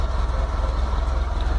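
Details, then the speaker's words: VW T25/T3 Devon camper, carbureted on a Weber IDF with no choke, first fresh cold start after fuel pump work, pedal pumped five times: low, even pulsing rumble with no knocks or stumbles. Normal cold-start idle. "and that's completely fresh cold start. Here we go."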